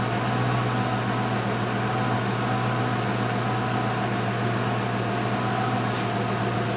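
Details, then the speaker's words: 2005 Mercury Grand Marquis, heard with the hood open just after the rear air springs were replaced: a steady, even electric hum with no rattle or surging, then a clean cut-off, as the car rises to ride height and the check-suspension light stays off; the air suspension compressor is working normally. "Okay, false alarm. Before I changed these bags, I could hear the air pump. Of course, I destroyed my hearing a long time ago. I couldn't hear the pump. So it's actually working."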